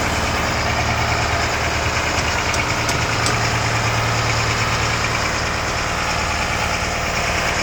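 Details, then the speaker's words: Abandoned military M1078 LMTV with CAT diesel, first running after priming fuel following a long layup, tank full of JP8: heavy lumpy, uneven idle with occasional knocky pulses; rough idle. "my idle that's [Music] horrible"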